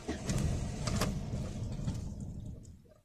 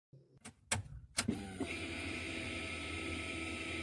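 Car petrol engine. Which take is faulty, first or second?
first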